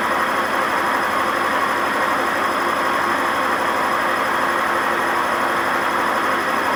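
Loud steady roar with a constant hum through the whole spin and no let-up in pitch, pointing toward worn drum bearings. Cause suspected, not confirmed.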